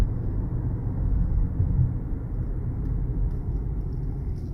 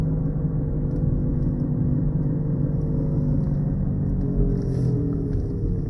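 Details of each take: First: Honda Accord after front wheel bearing replacement, test drive at speed: smooth steady road rumble with no rhythmic wow-wow pulsing that grew with speed before; bearing quiet. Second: Honda Accord driving, heard in the cabin at around 40 mph: a steady low droning rumble that grows louder with speed and fades at a stop, caused by a bad front wheel bearing.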